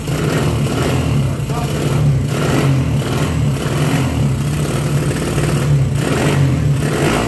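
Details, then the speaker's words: 1975 Honda CB125S that wouldn't start, after draining old carburetor gas, running on auxiliary fuel and replacing a fouled spark plug, good compression, no choke: steady quick low putter rising smoothly on throttle blips; normal running. "I'm going to try it without the choke here. Running really quick."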